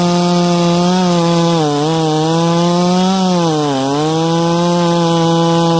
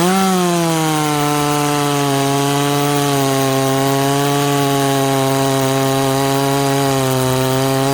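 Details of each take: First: Ported 66cc chainsaw cutting wood with very hard knots: steady howl that sags briefly twice, stumbling a split second before getting back on the pipe; momentary bog under load. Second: Ported 66cc chainsaw cutting wood in a shootout: holds a high, steady scream through the whole cut with barely any sag under load; strong, healthy pull.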